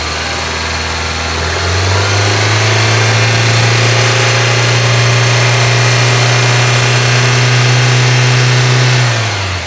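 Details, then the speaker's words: 1995 Geo Prizm, engine warming up, handheld vacuum gauge teed into an intake vacuum port during a vacuum test: revs rise from idle, hold and drop with slight uneven wavering, mild stutter and bog on throttle; cause not confirmed. "You can hear the car starting to stutter a little bit. Here's me using the acceleration."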